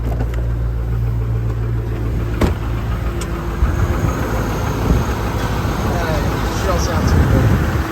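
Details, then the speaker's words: AWD truck being looked at for purchase, started on jump box with check engine light on; low throaty idle with uneven lumpy beat and no steady rhythm, doesn't sound as healthy as hoped; rough running, cause not determined. "All right. So that's a shame. Does not sound as healthy as I was hoping for."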